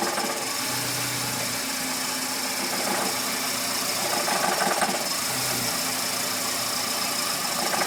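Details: VW Gol G5 bought new in 2010, engine noise since purchase that has worsened: idle with light uneven tapping about three or four beats a second over hissy background; cause not identified.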